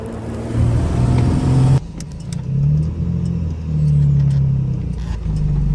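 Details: L36 Grand Prix (GP) misfire under acceleration, some runs with a BOV and some without; uneven pull with abrupt drops and stumbles under load; cause not identified.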